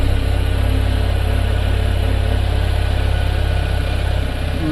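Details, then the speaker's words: Tata Magic Express petrol after repairing a no-start, no-communication fault (wiring checked, DTCs cleared): steady even low idle with no misses, knocks or hunting; running smoothly. "फिलहाल positive result है। किसी प्रकार की कोई check light नहीं है और कोई गाड़ी प्रॉब्लम नहीं कर रही।"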